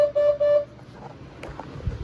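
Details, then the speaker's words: 1980 Corvette / 1983 Caprice horn giving two short, clear single-note blasts; cause was a fuse rather than the relay, owner still unsure if one or two horns need replacing — horn working normally. "the uh horn kind of does horn things"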